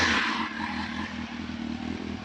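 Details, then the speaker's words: Warm 600 motorcycle, run ten minutes earlier: a quick blip of revs drops back to an even, steady burble with no rattles or misses. The engine sounds healthy. "this park has been uh running ten minutes ago so don't worry about revving it when it's uh like that it's not cold"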